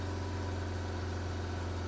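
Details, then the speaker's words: Mazda RX-8 rotary after ignition coil replacement for P0300 cylinder 1 misfire, not started for a while; it self-idles at about 1,500 rpm, which the owner takes for warm-up, with a steady, even hum. Fast warm-up idle. "all right so it kind of self idled to one and a half thousand rpm"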